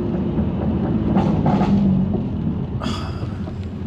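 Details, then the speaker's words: BMW M2 Competition, first road test after nine-month rebuild, about 6.6 miles in: rhythmic rubbing swish three to four times a second from near-side rear wheel; owner thought brakes, actually loose trim rubbing the wheel; diff and possible wheel bearing noise also noted. "that is a really pronounced rubbing noise but it's I think it is the brakes"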